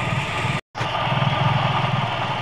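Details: Toyota Vios G, complaint of a strange engine noise at idle: rough, uneven rumble with a faint grinding whir from the belt-driven accessories; worn AC compressor clutch pulley bearing.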